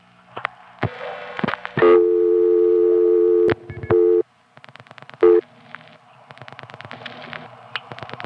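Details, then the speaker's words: New York test line on dial 09, with three touchtone tests over an old dial tone: the steady tone cuts out and returns in short bursts amid clicks. Speaker attributes it to a loose connection. "Loose connection there."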